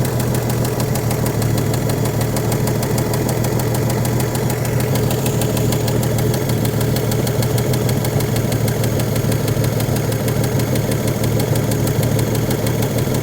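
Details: 1956 Chevrolet with 235 straight six, parked since 1989, running on a carburetor full of fuel: steady, even low idle with soft patter, no misses, surges or smoke; runs smoothly.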